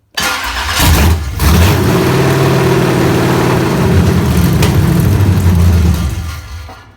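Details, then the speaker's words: Chevrolet ZZ383 crate V8 on a test stand (Nova clip), first start with open headers, probably over-fuelled: cranks, catches into a loud open-pipe burble with an even beat, then winds down; ran fine. "that didn't sound too bad one pot but i probably put a lot of fuel in it"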